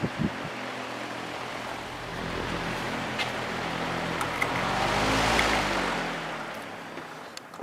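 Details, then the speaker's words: Patton U2-0018 18-inch three-speed high-velocity fan, blade pitch increased, motor oiled: soft even whoosh and steady hum; formerly loudest, now quietest; still shakes slightly on high from blade misalignment; normal running. "it's kind of funny this used to be the loudest fan I ever owned and now it's probably the quietest High Velocity fan I own"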